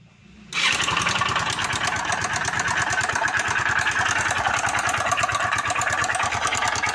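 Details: Motorcycle engine fires up and settles into a fast, even idle with a sharp metallic tapping on each turn, pointing to connecting rod knock.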